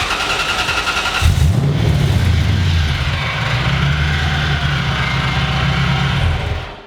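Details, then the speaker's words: Supercharged drift truck with new louder supercharger and larger pulley fitted with only three bolts, just after start on a drive: raspy scraping rub tracking engine speed; owner thinks the bigger pulley doesn't fit and rubs the hood. "What the fuck is that? Since we put a bigger pulley on, don't think it fits. Rub it on the hood. Oh, it's so much louder."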